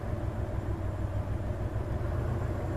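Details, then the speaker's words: Hyundai Terracan at idle during injector balance active test: injector number one switched off gives a rough, lumpy misfire and clear rpm drop; earlier test had pointed to cylinder six. "let me do that real quick again so all right injector number one i can feel the misfire i can hear it"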